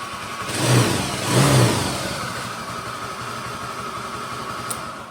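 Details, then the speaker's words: Honda Vario 110 LED scooter with CVT and front body removed: two quick revs then a steady droning hum persists, so fault is inside the engine; suspected worn crankshaft bearings, brown oil suggesting water contamination. "Cuman kan itu CVT-nya udah dilepas, bagian bodi depannya udah dilepas tapi suaranya masih ada, berarti kan kendalanya bukan dari CVT melainkan dari mesin."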